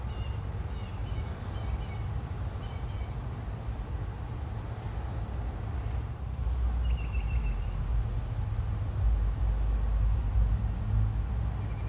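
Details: Upstairs home AC outdoor unit that was not cooling, running after replacing the failed capacitor (match microfarad ratings, e.g. 440/5); condenser fan has started and compressor is heard running, a steady low hum with even fan whoosh. Normal.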